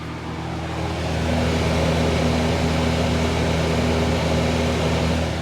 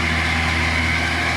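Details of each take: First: Miller 330 A/BP welder after servicing its cooling fan motor bearings: steady low hum and airy whoosh, much quieter than before, no rattles; normal cooling fan operation. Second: Miller 330 A/BP welder running with coolant flowing: steady machine hum with a fine, dry rattling chatter from the cooling fan motor, still present with the radiator off; fan bearings are dry.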